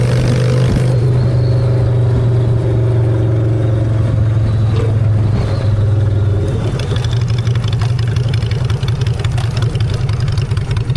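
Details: Honda Shadow V-twin after a custom makeover with custom exhaust, in neutral: a deep, even low thump at idle swells smoothly on throttle blips, with no knocks or rattles. Normal idle and revving.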